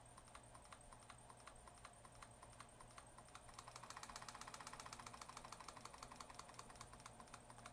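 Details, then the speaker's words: Waterpik SF-03 pump motor run directly from a bench supply at about 1.6–2.1 volts: quick, even pumping ticks over a light motor hum, picking up slightly as voltage rises; the motor runs fine. "the motor is running perfectly drawing 33 amps you can kind of hear it pumping"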